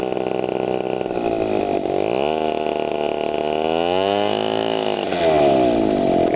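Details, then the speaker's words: TU 26 two-stroke engine on a converted RC trainer plane (186 cm span), warmed up and throttled up on the ground before maiden flight: high buzz swings down and climbs back to a clean sustained scream, no misfire; strong normal full-throttle run. "Tunggu sebentar, ya, biar saya percepat . Ada perlawanan. Lihat, mesinnya bertenaga sekali."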